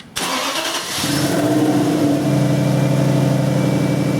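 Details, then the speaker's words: 2002 Infiniti Q45 4.5 L coil-on-plug engine after replacing faulty crankshaft position sensor (crank-no-start, no spark, P0335); brief crank, then catches cleanly and settles into steady even idle, normal start. "All right, you hear the vehicle's running, that's great."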